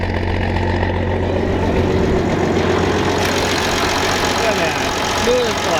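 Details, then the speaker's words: Old diesel in farm combine, only starts with added electric fuel pump since lift pump is insufficient, hot day, just started: loud steady chug, even pace, no knocks or misses; normal running. "crazy so all i need is electric pump all them years man that thing sounds awesome i'll let it worm up a little bit"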